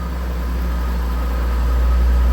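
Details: 2004 GMC Envoy started after front end and axle repair: engine catches and settles into a steady, even low idle with a deep drone, no obvious knock — normal idle.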